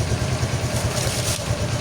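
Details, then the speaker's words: Honda XRM125 FI after cam chain tensioner disassembly and refit and oil bleed at the number-ten bolt: steady, even idle, the earlier coins-rattling noise gone, no metallic rattle; top end quiet and healthy. "Hindi, wala na yung kanina na parang ang daming barya sa loob. Yan, so tahimik na siya."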